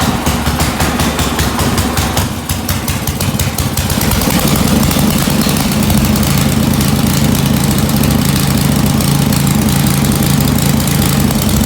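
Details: Snow blower small engine after summer, restarted after draining old oil and gas and cleaning the carburetor jet; choke opened slowly; settles into a steady, even putter with constant note; running smoothly and healthy.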